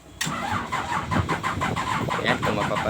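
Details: Komatsu PC-200 excavator diesel engine, hard starting and blowing black smoke: slow rhythmic cranking pulses, about five a second, engine struggling to catch; cause not found.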